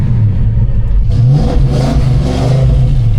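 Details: Cold Fox Body Mustang V8, battery weak after sitting: deep, crisp rumble swells cleanly with each throttle blip and settles smoothly; healthy engine, no knocks or misses.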